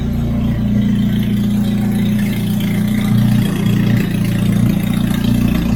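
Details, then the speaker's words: Turbocharged Hyundai Genesis warming up toward temperature while burping newly filled HKS Super Coolant after a flush; loud, raw idle with unmuffled rasp over steady low beat, because no wastegate is fitted; check engine light on. "It sounds like that because I don't have my wastegate, and hey, it's okay."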